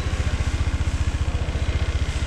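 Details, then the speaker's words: Old-body Honda PCX scooter after an engine rebuild, where a worn main crank bearing and piston ring had caused noise: at the first start it idles with an even, steady low thump and no knocking or rattling. "gibi çalışıyor zaten hondaların çalışma şekli sessiz bir şekilde çalışır görüyorsunuz hiçbir sessiz"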